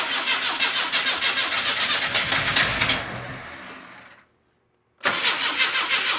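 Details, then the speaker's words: Car sitting in a garage since 2000, first start attempts with fuel squirted in, injector pulsing: rhythmic starter cranking, brief pause, cranking again, never catches. Cranks but won't start; flooding or too much fuel suspected, not confirmed. "It's definitely squirting in there. I don't know. Guess we just keep trying. It It seems to like it when I give it fuel."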